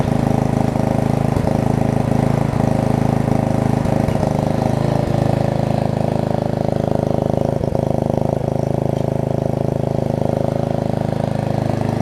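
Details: Murray rear-engine riding mower after a bent blade was replaced, a new drive belt fitted, blade brake adjusted and oil refilled: small single-cylinder engine holds a smooth, even beat of about three per second with no shake. Running fine.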